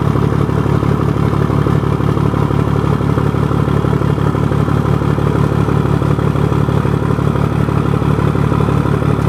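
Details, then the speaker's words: 1975 Scania truck diesel just after fitting the cylinder heads, started on a cold day (about 10 °C); oil pressure 7.5 and holding: even, steady clatter at about four pulses per second with no misses or knocks; healthy smooth idle. "galera ouviram aí o ronco ó sem judiar galera só o motor acabou de fechar né"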